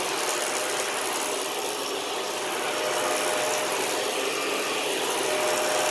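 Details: 2013 Dyson DC41 Animal Complete upright vacuum, used: steady hissing roar with a faint on-off whistle over it; an abnormal brush roll noise has returned and the owner plans to clean the brush roll again.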